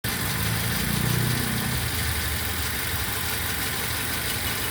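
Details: Toyota Avanza third generation at idle: uneven idle with an irregular stumble and a lumpy, shaking beat under the exhaust note, a typical single-cylinder misfire.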